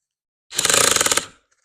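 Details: Cordless drill driving a screw with the torque clutch set to number one, its lowest: fast, even ratcheting clicks for about three quarters of a second as the clutch slips and stops the screw; normal.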